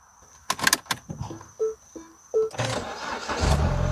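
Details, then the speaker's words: MINI Cooper crank-no-start, fuel pump wrongly fed by a 10 amp fuse, pump now heard: a few clicks, short whirring crank, then engine catches and settles into an even run. "Yeah. So at this moment I think this car will start. Let's try it. Let's cycle the key."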